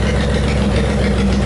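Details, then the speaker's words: Honda VTX 1800 twin after clearing a blocked fuel tank breather hose that caused running problems until the cap was removed: deep, steady, even idle after 10 minutes with no misses or surging; running cleanly. "I've had an idling for 10 minutes now and um yeah it seems to be no dramas at all"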